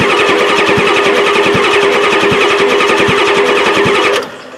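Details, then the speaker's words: 1993 Ford F-250 7.3L IDI diesel with a new battery and cables: fast, steady cranking with even compression pulses but no firing. Owner suspects the injection pump is out of time after new injectors; fuel lines not yet fixed. "that's definitely a lot better Stern which is definitely cranking fast but still don't feel there yet"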